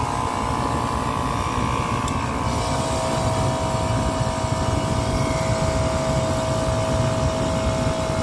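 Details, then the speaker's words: Copeland digital scroll compressor in a Liebert precision cooling unit for data centers: steady hum with whistling tone stepping down in pitch and clicks, solenoid valve routing discharge gas to suction to vary capacity; sounds broken but is normal modulation. "so it looks familiar only that it doesn't sound familiar so you hear that difference or the change in sound or the change in tone or the clicks it's not broken all right it's not broken this is what you call a copeland digital scroll compressor"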